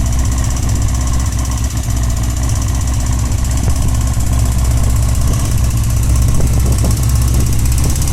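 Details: Honda CBX 550 F at steady idle: loud low hum with a loose, irregular light tapping, coming mainly from the right side of the engine (seated on saddle); abnormal engine noise, cause unknown.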